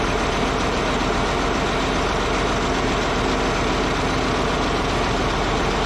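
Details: Caterpillar D8H bulldozer diesel, revived after sitting 15+ years: steady, even idle rumble with no knocks, misses or surging; running good.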